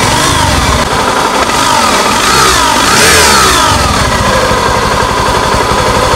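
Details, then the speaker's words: Honda Scoopy ESP scooter, owner complaint of rough engine noise when running: harsh, gravelly whine rising and falling with revs; source not yet confirmed, could be crankshaft bearings, gearbox gears or CVT. "Ya teman-teman jelas suaranya jadi suaranya kasar seperti itu ngagerengseng pak ya Ng heang kalau di di tempat saya sebutnya ngangerengseng"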